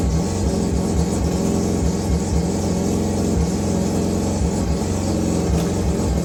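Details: Mazda RX323 (Mazda 323 with a 13B rotary), previously running rough, timing sorted and old igniters refitted: steady, even low burble with a smooth regular pulse, no misses or knocks; normal idle.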